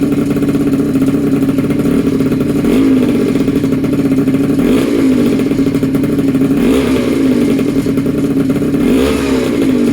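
Small two-stroke buzzes steadily and revs up cleanly in short blips several times, no rattles or misfires; runs fine after the rebuild.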